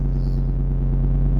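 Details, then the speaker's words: Tahoe cold start, idling high like a choke and expected to drop: steady even low rumble at raised idle, no knocks or stumbles — normal cold fast idle. "My acquisition is really high, but really it'll drop. It's like a choke, right?"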